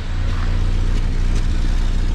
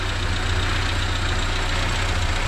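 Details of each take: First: Renault 5 Extra C1J turbo with MaxxECU Mini EFI conversion: deep uneven idle with sharp puffing pops through the rumble; exhaust leaking from a hole likely blown by a loud backfire, exact spot unknown. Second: Renault 5 with C1J turbo engine, EFI conversion with MaxxECU Mini, base timing set: deep steady idle, fairly even beat, slightly raspy popping exhaust, suspected hole in exhaust from earlier backfire; engine runs properly, normal idle.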